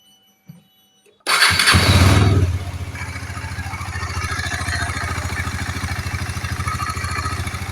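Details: KTM Duke 250 single-cylinder after repair for rough engine noise: quick crank and catch, high flare settling to a steady, even idle with no clatter or knock; normal idle.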